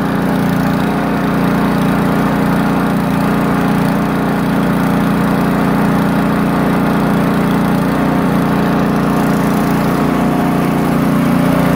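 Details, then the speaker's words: Poulan Pro snowblower that had a surging idle, after tightening loose nuts: the small petrol engine holds an even, steady idle, running much smoother. "i tighten it up more than what it was and i'd test it a little bit it seemed to be running much more smoother"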